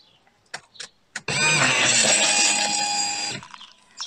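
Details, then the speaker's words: Mercedes W203 C-Class, new fuel pump just replaced after old one died, microphone sitting on the pump: sharp high electric whir at key-on, steady about two seconds then stops; healthy fuel pump priming. "well that sounded like a pump running to me prime it again and then see if it'll actually start straight away"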